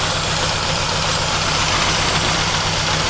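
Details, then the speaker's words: 2010 Chevy Aveo 1.6 Ecotec with misfires: loud hissing over uneven, stumbling idle from PCV system integrated into valve cover leaking vacuum internally; fix is valve cover replacement. "see how bad it's leaking internally look at that that's because they integrated the pcb system and with the valve cover wasn't that intelligent"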